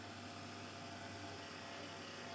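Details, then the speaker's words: Monster Abra A5 V16.6 gaming laptop: steady rough fan whir with low buzzing hum, worst at first start; worn fan vibrates strongly through to the case, so oiling is unlikely to help and replacement is needed. "elime inanılmaz bir titreşim salgılıyor. Yani laptopun kasasına kadar ulaşıyor bu titreşim. Bunun yenisiyle değişmekten başka bir çaresi yok dostlar."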